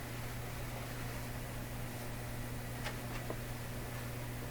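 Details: Canadian Admiral J104X/J105X console amplifier, no signal playing: steady low mains hum under faint hiss coming through one amplifier channel; hum cause being troubleshot, not yet found.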